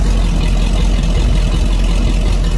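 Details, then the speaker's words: Used Mercruiser 5.7 carbureted V8 marine engine run on the ground before install in a 1997 Maxum 2300SC, not run in a while, not yet warmed up: deep, even low rumble at steady speed, no smoke, knocks or misses; normal idle. "I knew she was a good motor, not smoking or anything, sounding good. Might need to get warmed up a little, it is carbureted."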